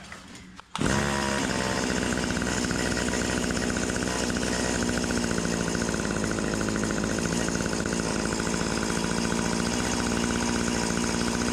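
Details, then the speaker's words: Stihl HS80 hedge trimmer, fresh fuel, idles fine but falls on its face with throttle, during carb adjustment: two-stroke runs uneven and wavering, never cleans up; no response to adjustment, air leak or dirty carburetor suspected. "Something else is going on because I'm not really getting any kind of a adjustment out of there."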